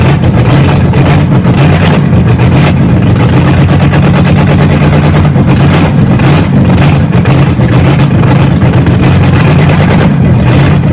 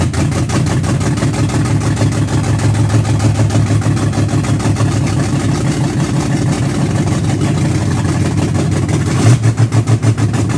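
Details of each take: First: Engine just started after three and a half years sitting, new starter fitted, camshaft being broken in with no exhaust fitted: very loud, raw, even roar at a fast idle, no misses or knocks; runs smoothly. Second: Car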